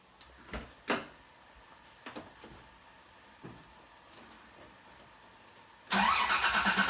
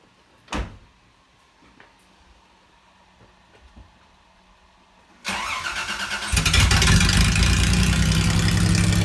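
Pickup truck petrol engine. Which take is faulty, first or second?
second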